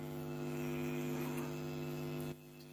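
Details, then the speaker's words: Class D 2.1 amplifier build with all wiring and earthing done: steady low buzzing mains hum from the speakers; grounding the minus did not stop it, pointing to the board not tied to the chassis. "Humming sound உங்களுக்கு கேக்குது. So earthing எல்லாமே கொடுத்துருக்கோம்."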